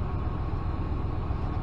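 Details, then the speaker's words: 2014 Dodge Ram with earlier P0207 cylinder-seven misfire, after clearing codes and resetting adaptive memory: deep, steady idle with an even rumble and no stumbles or skipped beats; not misfiring now. "Vamos a ver si sigue con la misma falla. Bueno, ahorita no está fallando."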